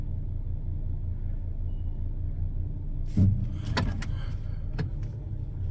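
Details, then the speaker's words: Hyundai Elantra after service, previously stalling: low steady engine hum, even smooth rhythm, no ticking or knocking; much quieter than before. "yeah this hyundai's way quieter than than before"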